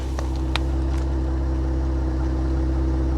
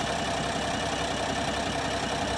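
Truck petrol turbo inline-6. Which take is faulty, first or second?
second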